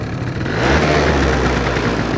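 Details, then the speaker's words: Two-stroke engine warming up, lean mixture: without choke revs hang high and drop slowly with a drawn-out tone and elevated idle; even on choke the mixture seems slightly lean; adding choke restores crisp running. "вроде потихоньку начинает работать, но обороты, слышите, сбрасывает плохо. Слышите, как мотор работает? Такой прям растянутый звук у него."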